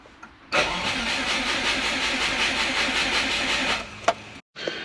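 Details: Turbo Subaru Forester that won't start after an ECU update and a new mid pipe and oil cooler, with the battery at 12.5 V on the charger and spark plug 3 wet. It gives about three seconds of steady, even cranking but never fires.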